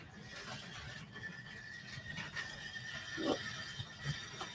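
A thin, steady high squeal sits over the little motor's hum and the track clatter as the loco runs; the cause isn't clear.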